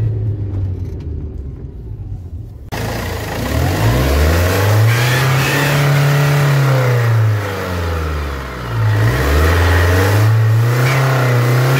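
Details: Engine revved above 2,500 rpm: a loud, raspy roar that grows under acceleration, caused by exhaust gas leaking through the exhaust manifold gasket.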